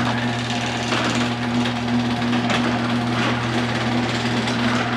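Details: Homemade car-alarm remote system converted into a garage door opener, test from the driveway: steady motor hum with a light chain rattle, running evenly; the opener works normally.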